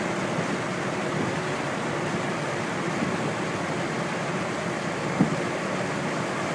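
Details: Rex Air Controls window fan on high: a smooth rush of air and a steady low hum with no rattles. It has a new belt-driven 1/4 hp 2-speed Emerson motor with spherical bearings shimmed using rubber-gasket strips. Normal running.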